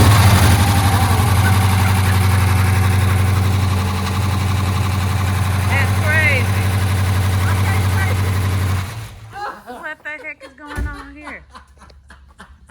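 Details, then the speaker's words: 2017 Dodge Charger, about 130,000 miles, running after a new fuel pump; loud idle with a fast, even diesel-like clatter keeping pace with the engine before shutoff; serious lifter issues, lifter tick. "it sure the heck sounds like a diesel this bad boy got some serious lifting issues"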